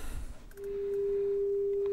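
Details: Sansui G-7500 receiver FM tuner, after scope alignment of TCO1: steady pure mid-pitched tone with no wavering, hum or distortion; tuner reproducing the test signal cleanly.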